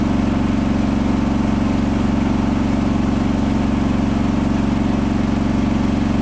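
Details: Hotpoint washing machine final spin at 1400rpm after a rolling bath sheet fooled the balancing and was thrown to one side: loud steady hum with a fast even throb about four beats a second, unbalanced noisy spin.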